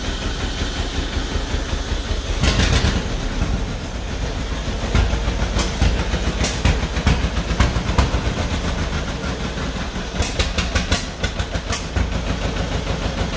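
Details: 1949 John Deere B two-cylinder, first start after engine rebuild: uneven thumping with irregular bangs and shaking clatter that never settles into a steady beat; rough running with heavy vibration, parked on a slant, possibly running out of fuel; cause not yet found.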